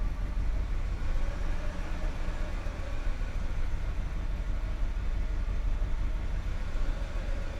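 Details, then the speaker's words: 1990 Mercedes 560 SEC V8, first start after cleaning: slightly uneven, wavering idle that stumbles a little, not super smooth; some smoke seen of unknown source; rough idle. "she's still running not super smooth but she's running"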